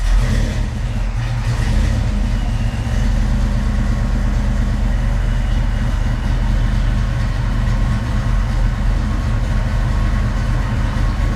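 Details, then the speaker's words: Foxbody Mustang V8 with Holley Terminator X EFI after priming fuel pump: deep steady burble, even idle without stumble or misfire; normal idle, fuel pressure reading 38 with a yellow warning. "Sounds good though."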